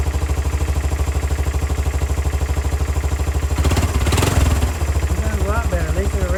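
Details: 2002 Kawasaki Bayou 300 ATV being revived, first start after refitting the carburetor: steady single-cylinder thump at idle, clean quick rev that climbs and settles back, no misses or knocks; normal healthy running.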